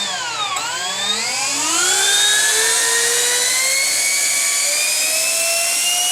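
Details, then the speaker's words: 50mm EDF RC F-16 with a fan motor balanced by a friend: clean whine sweeps smoothly up in pitch to a steady high scream with no wobble or rattle; healthy, low-vibration fan. "I had a friend of mine in Southern California balance the motor in EDF just to get the least vibration out of it and the most power out of it too. So it has an interesting low, smooth, high pitched sound."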